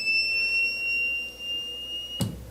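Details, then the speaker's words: Power inverter at power-on: a steady high-pitched beep, then it stops with a click; the output is shorted, with the first-stage power MOSFETs probably burnt. "ele ele automaticamente quando eu ligo ele apita e depois ele para o apito né é uma característica é um tipo né de defeito"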